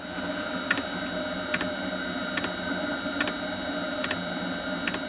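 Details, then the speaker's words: Planar 8DM-12 diesel air heater running, mic close to the wall-mounted dosing pump (cardboard between pump and wall to quiet it): sharp ticks a bit over one per second over steady fan hum; normal operation. "Now, if you get in a little closer, you can hear what the pump sounds like and what the heater actually sounds like."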